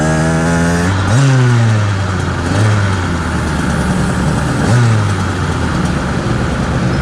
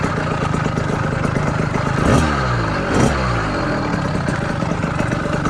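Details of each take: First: 49cc two-stroke motorized bicycle engine: on quick revs, a distinctive low droning hum rises under the exhaust each time it winds down. Owner suspects internal vibration, as the crank feels chunky and its crank weights wobble from not being true. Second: Southern Custom CC Hybrid motorized bicycle with a small two-stroke engine and PZ20 carburetor with the needle clip at a safe setting, on its first ride. Steady idle with short throttle blips, settling back to an even putter without stalling. Normal idle.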